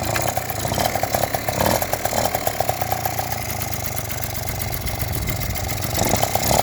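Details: Yamaha Jog two-stroke scooter that wouldn't start, after cleaning the spark plug and tightening the cylinder head: quick, fairly even putter with buzzy edge, running steadily; starts and idles normally.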